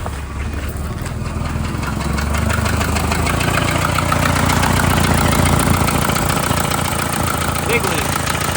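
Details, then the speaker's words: 1991 Volvo 940 turbo at idle: loud raspy tractor-like chuff that picks up slightly with revs, a big exhaust manifold leak from a snapped manifold stud. "Exhaust stud Yeah, it's got a gnarly leak coming out of there. Let's have a listen."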